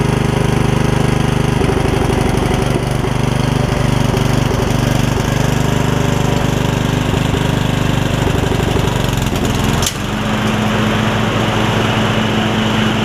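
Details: Yard Machines rider single-cylinder, revived after filling with water, thumps about 214 a minute with uneven beats, the note dropping and steadying as the deck is tried. Valves are ungapped and it smokes; the owner suspects leftover water and will adjust the valves when it cools.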